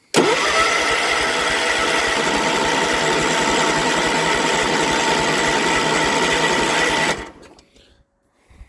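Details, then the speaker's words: Cold machine, choke cable seized, new carburetor and new fuel pump, no starting fluid; starter churns about three and a half beats a second for seven seconds, never catching; cranks, no start, owner suspects fuel pump lost prime. "don't know if it lost its prime or it can't re-prime itself"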